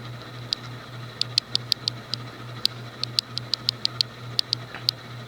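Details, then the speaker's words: 1989 Universal (SMC) Laguna KB-36 36-inch ceiling fan, thinner higher-torque residential motor, running at medium speed: sharp uneven ticking about three per second over a steady low motor hum; worn bearings the owner plans to replace. "at some point I'll probably replace the bearings at some point the low speed rpm is average Oh it'sit's a little slightly faster maybe about the same as the old look gonna let stick her motor here that bearing noise delightful"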